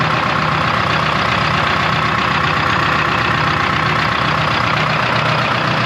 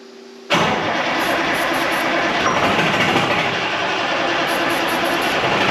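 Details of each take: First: 1976 Ford F250 with a 453T Detroit Diesel swap and 4-speed manual, first start after sitting since 1996: steady, even, crisp idle with no knocks or misses and little smoke. It runs great, though oil pressure reads low. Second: 1976 Ford F250 with a swapped Detroit Diesel 4-53T and 4-speed manual, sitting since 1996: steady high starter whir spinning the engine for seconds with no firing beat; owner suspects a sheared fuel pump drive key, no fuel reaching the line.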